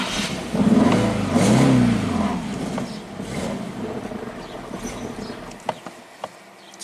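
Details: 2008 Infiniti G37S: fires and revs unevenly for a few seconds, then stumbles and dies as if running out of fuel; no codes set, new fuel pump made no change.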